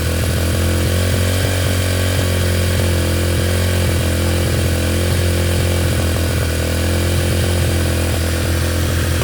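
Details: Yamaha TTR125 just restored, first run after reassembly, started with brake cleaner: single-cylinder buzz at steady speed with an uneven, lumpy beat underneath; running rough, cause not pinned down.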